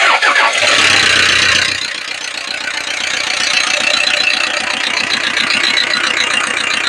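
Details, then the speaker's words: Toyota Innova start: engine cranks and catches, then quick fairly regular ticking about three per second over the idle; abnormal noise, cause unclear. "इस गाड़ी में यह आवाज आ रही है। यह साउंड आ रहा है इस गाड़ी के अंदर।"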